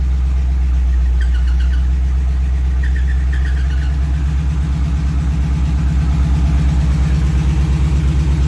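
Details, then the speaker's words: 1938 Ford after long sitting, fluids just topped up, 50 psi oil pressure: idle lopes unevenly with about three lumpy beats a second and dropped pulses; misfire, owner suspects a sticky injector. "still misfiring for some reason might have a sticky injector from from it sitting"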